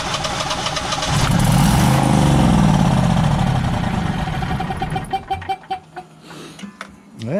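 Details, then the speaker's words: Generac Guardian 16kW standby generator during repair, on a repeated start attempt: the engine cranks, catches and revs strongly, then winds down and dies within seconds. The controller shows a "no RPM sense" error. The owner suspects it is being shut off, not running out of gas. "being shut off that's not running out of gas that's dying"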